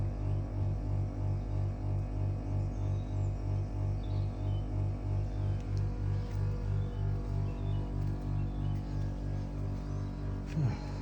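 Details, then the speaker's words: Mitsubishi heat pump outdoor unit, cold day, 4 minutes idling after defrost finished, not restarting: deep steady electrical buzz pulsing about three times a second, nothing else running; abnormally loud buzzing at idle, cause unknown. "Now we've got 4 minutes of idling, 9:02 on the video. Still making that loud buzzing noise."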